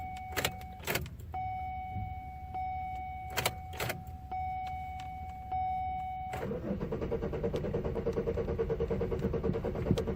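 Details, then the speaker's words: 2002 Chevy Malibu in a crank-no-start condition: after door chimes the starter turns the engine over at a steady rhythm, but it never catches. A boost was tried with no result, a P0420 catalyst code was read, and the cause is unknown. "Looks like it's not getting far. Well, let it set for a little longer. I had a pump boost, but nothing."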